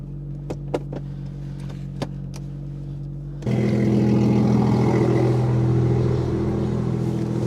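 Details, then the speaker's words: BMW M2 lowered on M Performance coilovers: a quiet idle with light ticks, then a loud, rough rasping scrape underneath while reversing, caused by a bottle caught and dragging under the car. "So, I don't know if you noticed that noise when I was reversing it, but I genuinely just thought I broke something on this car. Let me show you the culprit for what that noise was. This bottle right here was dragging underneath the car."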